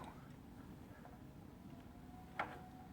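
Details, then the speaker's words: Peloton exercise bike pedalled slowly: a single sharp click every fourth rotation over a quiet low hum, first suspected as the wheel scraping, actually caused by a split drive belt. "now what's happening is I thought maybe the wheel was scraping at something that's not the case it's actually the belt"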